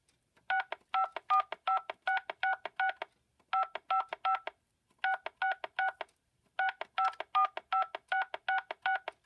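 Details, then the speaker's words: Panasonic PBX with a standard push-button phone in touch-tone mode during a call: clean two-pitch keypad beeps in quick tune-like runs (Mary Had a Little Lamb), about 160 a minute; normal DTMF keypad tones. "I press the buttons you can hear things coming out of here right there is you press buttons on your handset"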